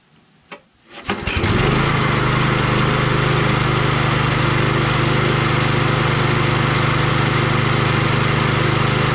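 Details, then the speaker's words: Troy-Bilt 21" XP self-propelled mower 12AI836M011 after sheared keyway repair: a few clicks, starts first pull and settles into an even, steady drone without vibration, some smoke; running normally. "can you believe it works can you believe it started on the first pull unbelievable huh i'm gonna let it run for a little bit see if that smoke dissipates eventually but it's uh smooth doesn't vibrate or anything"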